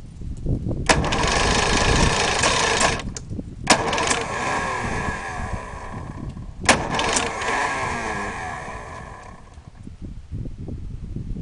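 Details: Mercury outboard motor cranking in three separate attempts of two to three seconds each, with steady starter churn, but the motor never catches: cranks but won't start.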